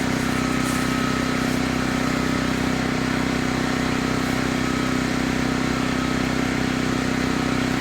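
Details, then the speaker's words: Chainsaw of roughly 50–60cc (owner unsure, maybe 58), on its second tank of gas and barely broken in, cutting old wood: a strong, steady drone holds pitch without bogging, pulling hard under load, normal. "but it seems like in pull the throttle it just keeps giving you power you can just keep pushing right through"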